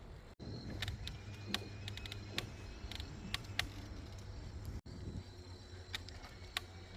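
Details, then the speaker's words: Bicycle with Brooks B67 sprung leather saddle, loaded with overnight gear on a rail trail: sharp creaks and ticks repeating with pedal strokes, identified as the saddle creaking; fixed next day. "That creaking sound is a saddle. Again, I didn't move up any of the metal parts today."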